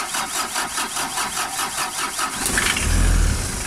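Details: Engine with a hard-start problem: steady cranking pulses about two and a half a second for over two seconds before it catches and revs up, hard start with prolonged cranking.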